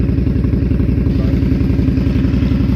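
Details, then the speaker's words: 2018 Indian Scout 60 with Crusher Maverick exhaust, warm after S&S intake install, before Dynojet PV3 tune: even, lumpy V-twin idle with steady low rumble, no ticks or knocks; healthy. "Everything looks good, sounds good."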